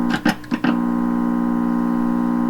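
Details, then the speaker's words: 1928 RCA Victor Model 28V radio, signal injected at the stage grids: a few loud plucks, then a steady buzzy multi-tone hum; oscillation suspected from the stages not being adjusted properly, not confirmed. "be because I've got all kinds of oscillations set up in here because I don't have these adjusted properly."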